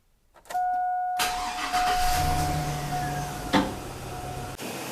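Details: Porsche during slow-crank/no-crank diagnosis with a meter hooked up for a voltage-drop test: starter spins at a steady, strong rate and the engine fires without hesitation, constant meter tone behind; cranking normal.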